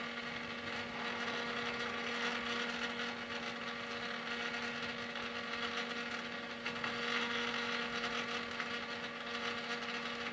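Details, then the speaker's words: 2016 Ford F250 after fuel filter replacement, key cycled to prime: steady electric fuel pump hum with faint hiss that keeps running longer than it should; system not yet pressured up. "So, I said we'll keep cycling. It shouldn't run that long. Should already have the system pressured up."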